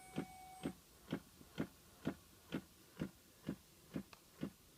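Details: 2006 Pontiac Solstice makes a crisp, evenly spaced clicking about twice a second, present all the time; it started right after the battery was changed, and the cause is unknown.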